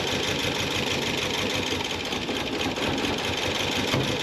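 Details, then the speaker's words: Porsche 944 during restoration, first start after new crankshaft position sensor: noisy, uneven stumbling idle with a lumpy skipping beat under hiss; one cylinder misfiring from a faulty fuel injector, later cured by tapping it. "Oh my god. It's misfiring, but it's running. Oh my god. It's a noisy bastard, but it's running, you guys. Holy >> Okay, she's she's definitely missing."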